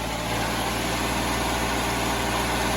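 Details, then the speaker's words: Repaired van engine at 420,000 km, warm after first start, cooling fan on: smooth, steady low idle with even beat, no knocking, ticking or hunting; sounds in good shape, check engine light on. "she sounds good you know that 420 000k that's you can't beat that"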